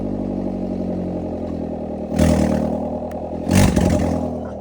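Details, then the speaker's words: 2012 Hyundai Veloster started on open headers with no exhaust attached: harsh raw unmuffled blat on two sharp throttle blips over rough idle. "Oh my gosh, that sounded terrible. And if we can't get these new headers on, then that's what the car's gonna sound like."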